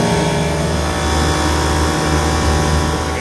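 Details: Old Trane HVAC unit in test mode after the pulleys were aligned, running cooling stage two with a cold suction line: a heavy, loud droning roar, much noisier than normal, and one fan not running.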